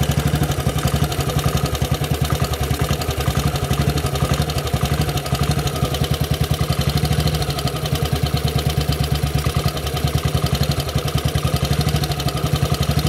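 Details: Model 8 engine, cold then hot: steady idle with a sharp, regular clatter on every firing pulse, more noticeable riding around 40 mph and above; engine knocking, cause unknown.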